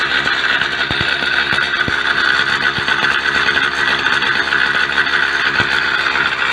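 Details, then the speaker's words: Two-stroke Mk4 at idle after about 40 km ride home with a blown exhaust gasket; sharp uneven popping and raspy hiss from the leak; engine otherwise runs well, no smoke. "well Kitty and I made it home safely and here the exhaust is leaking away but it's got a phone"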